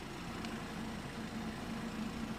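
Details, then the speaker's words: BMW 3 Series, EPS steering rack formerly clicking near full lock, after white lithium grease was sprayed through the gap and the two bolts were torqued to 19 Nm: only a steady low engine hum at lock on concrete, no clicking; steering is now quiet. "一瓶小小的百里润滑脂，完美解决问题。"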